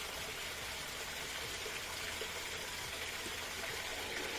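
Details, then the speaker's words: Kenmore (Whirlpool direct-drive) top-loader after the lid switch was zip-tied back into place: a strong, steady rush of cold water filling without sputtering or hammering; the cold fill volume is good and normal. "just cold it's pretty strong volume that's just hot pretty good together gives you the fastest fill"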